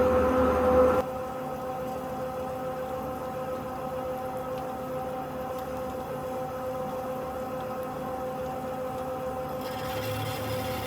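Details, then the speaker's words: Amada VM-2500 saw, blade started after material advanced: steady even saw hum changing tone as the blade touches and bites into the stock, then a smooth cut; normal blade cutting. "Now you can hear the blade has touched the material, so now it's cutting."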